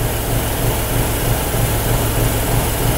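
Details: Honda SH 125 FI 2021 after servicing, before repair, engine loud like a tractor. Uneven, lumpy idle held too high, pulsing with no steady settle. The oxygen sensor voltage is erratic and the scan tool reads lean: rough high idle, lean mixture.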